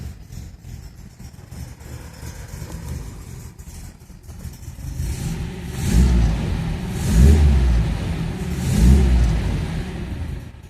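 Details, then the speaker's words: Restored 1966 MGB GT on bell-mouth carbs, mixture now set after lumpy returns to idle: three crisp throttle blips dropping back to steady idle without stumbling; carburettor mixture sorted. "They can be a bit lumpy as they come down onto idle till you get mixture nailed right on them with bell mouse, but I've got it sorted now."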